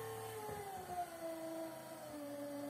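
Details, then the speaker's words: 36 W mixer motor of a 37-litre Khmelnitsa home automatic brewery, held back by hand while stirring: quiet steady hum dropping in pitch but keeps turning, no fuse blown or stall; normal motor running under load. "Ну и вот, перемешивая, ничего не перегорает, не вылетает предохранитель, он не останавливается."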